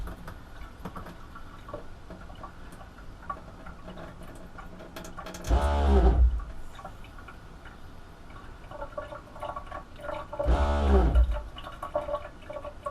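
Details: Shurflo water pump in a bus conversion, after adding a Pentair Shurflo accumulator tank and with the tap only partly opened: short whirring bursts about a second long roughly every five seconds; short cycling reduced.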